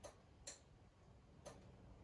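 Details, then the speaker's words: 2006 Nissan Murano with added OEM fog lights: four crisp uneven clicks from the fog light relay in the IPDM switching on and off, showing it sends power to the circuit. "the fog light relay clicking on and off you can hear that in the ipdm and so as long as you hear that clicking you know it's trying to send power out to the circuit"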